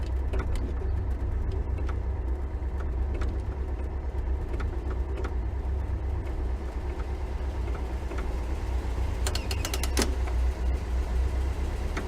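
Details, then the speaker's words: 1973 VW Thing barn find on a ride and drive holds an even, deep drone with only light clicks and rattles; the engine runs great, though the front brakes still need adjusting. "Well, the car runs great. The brakes, not so much."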